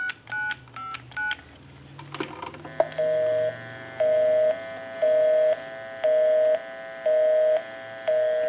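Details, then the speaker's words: Bell South clear Lucite Trimline telephone after repair: quick DTMF dial beeps after pressing flash for dial tone, then a steady busy signal pulsing about once a second; normal DTMF dialing. "we can go ahead and get the flash button give you some doubt own and we can call my number and it'll be busy"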